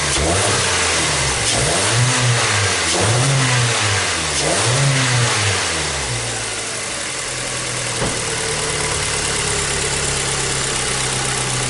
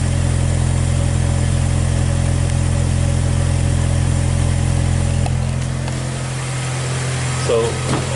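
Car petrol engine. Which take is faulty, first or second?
second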